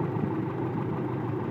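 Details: 1995 Toyota truck 22RE EFI four-cylinder at idle during timing check: base timing about 5 degrees with the jumper, then wires unhooked so idle rises to about 12 degrees; steady even rumble, no knocks or misses.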